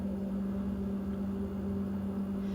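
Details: GE freezer not cooling, compressor running: steady low hum with firm mains-frequency drone, even and unbroken; suspected low Freon or sealed-system restriction, found to be a restriction.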